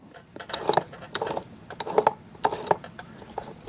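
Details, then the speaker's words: Manual transmission for a 4-cylinder Foxbody, turned slowly by hand: soft, light gear clicks and ticks with no grinding or roughness, no play; appears freshly rebuilt and possibly never run, sounds healthy. "sounds good it looks good has no play no nothing to the point that I I think that this was rebuilt"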